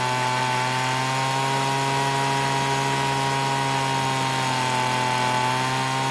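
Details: Free Weedeater blower, two-stroke, after repair from a no-start: steady high buzzing drone holding an even pitch for several seconds at speed; runs cleanly.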